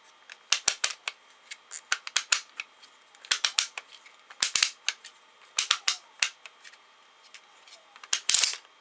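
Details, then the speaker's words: Prototype clockwork starter for a model diesel engine being wound: uneven bursts of sharp clicks ending in a louder snap as the mainspring keeps unhooking from its pins instead of holding. "hear that? So it's definitely unhooking again somehow."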